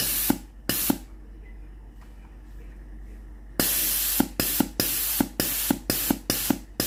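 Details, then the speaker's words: Philips GC9231 steam iron being repaired for weak steam; after the boiler heats and the pump runs, strong sharp steam bursts about two a second show the water valve opens fully, steam at full force. "ถ้าเทสได้อย่างนี้นะครับก็แสดงว่าวาล์วน้ำสามารถเปิดน้ำได้สุดนะครับ"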